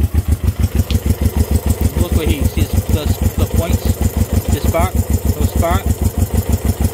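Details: Honda CB350 twin, first start in 13 years: slow, lopey thumping about three beats a second with uneven gaps while idling, running on one cylinder as one side is not sparking.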